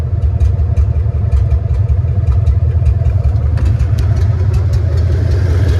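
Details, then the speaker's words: Chevrolet C3500HD just revived, O2 sensors unplugged because they made it run rich or lean once warm, one cylinder earlier not firing: loud lumpy idle with uneven chuff and stumble; misfire at idle and through the rev range, owner suspects one cylinder. "has a misfire at idle pretty in pretty much all it has a misfire all throughout the RPM range, but not I don't even think it's one cylinder."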